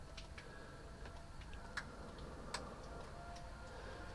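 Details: 1973 Chevelle Malibu with freshly installed 327 at first run: light, sharp ticks roughly once a second, not quite even, over a quiet low rumble; source unconfirmed, owner suspects the pulley, fears a bent crankshaft.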